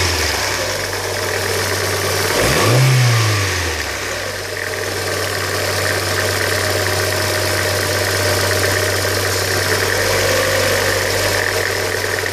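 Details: 2000 Hyundai Coupe 2.0 petrol, idling with a brief rev: a steady low drone with faint irregular ticking; a strange engine noise whose cause is unclear.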